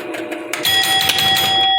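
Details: Pinball machine with the spinner turning: a quick run of sharp clicks from back-box relays clicking back and forth, with ringing tones over it, then it settles as scoring finishes; normal relay operation.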